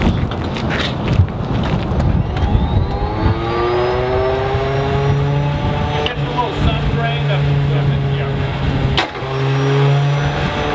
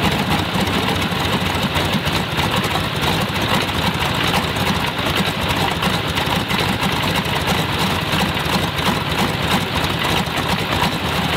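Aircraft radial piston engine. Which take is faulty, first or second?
first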